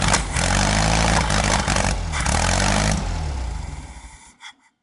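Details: Car with a newly installed Bosch ignition system, coil negative green and post-ignition positive black wires: steady starter churn about three and a half beats per second, no catch, winds down; cranks but won't start. High-voltage leak suspected, timing uncertain.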